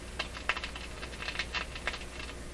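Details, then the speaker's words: Canadian Westinghouse 981X shortwave radio on a dim-bulb tester at low voltage, while turning the tuning capacitor: irregular sharp crackles and pops over a quiet hum, dim bulbs jumping with it; intermittent crackling, likely an internal short, not located. "you see they're jumping with that sound even this light is jumping with that crackling sound that's a very bad sign something uh something that draws power is uh shorting out a little bit inside the radio"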